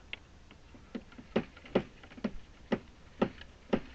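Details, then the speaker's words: Irritrol RD-1200-R RainDial 12-station sprinkler timer, station 4 running: sharp thuds about twice a second as the valve turns on and off rapidly, same on every station; cause unknown. Valve rapid on-off pulsing with water hammer. "at that water hammer turns on off real quick DP dump dump I don't know why"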